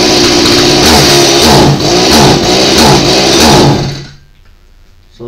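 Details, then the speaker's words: Stihl MS170 chainsaw runs but dies the moment throttle is given, won't rev; loud, uneven two-stroke roar fading out; compression test showed under 25 PSI versus 90+ needed, low compression rather than fuel issue. "it will run but the minute you go to give it power throttle it dies out"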